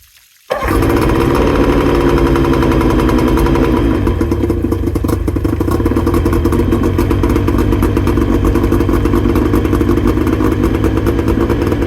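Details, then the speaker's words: 2000 Johnson 50hp two-stroke outboard on 50:1 premix (oil injection disconnected after heavy blue smoke) fires up and settles into a slow, slightly uneven burbling idle, sitting lower than it should; needs a tune-up with idle adjustments. "as you guys could probably tell it needs a bit of a tuneup it's not idling quite as high as it should"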